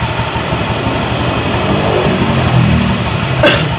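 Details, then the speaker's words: Honda Beat ESP 2015 (K25) CVT after reassembly; a steady, even drone with no jingle or metallic rattle. The rattle is gone and the rear pulleys are not loose; the CVT runs normally. "Nah kira-kira kayak gini bisa didengar suara kemerincingnya sudah bersih"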